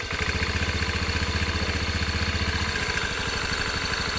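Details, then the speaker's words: Honda Beat 125i Fi scooter idling with a quick, uneven rattle on each firing pulse from the CVT side; inside, the CVT is dirty, the drive pulley loose and worn, and the fly balls are checked. "Okay Check natin yung motor natino nga at hindi pa natin alam kung an nangyari sa motor niya may daw kalansing mayong"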